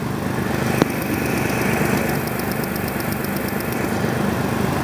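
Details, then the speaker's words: Mazda B3000 engine running, screwdriver tip on the back of a fuel injector used as a stethoscope: steady, even, consistent clicking over idle rumble, meaning the injector is firing normally and consistently. "You can hear that clicking and it is consistant That means that the injector is firing and it is firing consistently."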